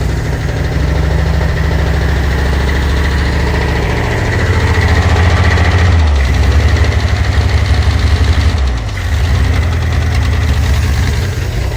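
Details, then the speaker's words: 1948 Pontiac Silver Streak straight six, sitting since the early 1990s, first start: low uneven idle with a faint light tapping, knocking a little; owner plans to check oil pump and add an oil pressure gauge. "I mean you guys heard the footage it was knocking a little bit"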